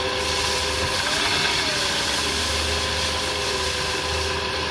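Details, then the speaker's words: Petrol engine at 80,099 km, warm, idling in gear (D) with a low drone and rough noise; worn balancer shaft, roughness is worse on cold morning starts. "nya terdengar suara dengung ya sama bunyi kasar ya"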